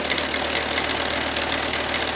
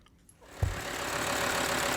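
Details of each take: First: 2005 VW Touareg 2.5 TDI diesel at idle: terrible loud metallic rattle over the clatter from the AC compressor drive coupling, whose worn teeth and freewheel pulley show a lot of movement when levered with a screwdriver. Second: 2005 VW Touareg 2.5 TDI with rattling AC compressor coupling, compressor removed as a hack fix: diesel cranks, catches and settles into a steady even idle, no rattle or knock; works perfect minus compressor.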